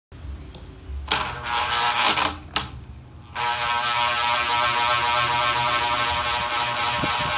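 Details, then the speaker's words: Old ceiling fan running: steady harsh metallic rattle and whir, very loud, from a dry axle bearing whose lubricant has dried out; fix is greasing it. "sakit talaga sa tenga pag ganito yung selling fan mo napakaingay"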